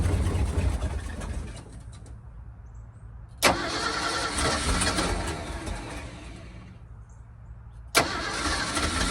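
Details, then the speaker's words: 1978 Ford dump truck V8 after installing a new starter, new starter solenoid and a new battery cable section; two brisk, even cranking bursts and it fires right up, fastest cranking in three to four years of ownership. "So, I've had the truck like three or four years and it's never turned over that fast."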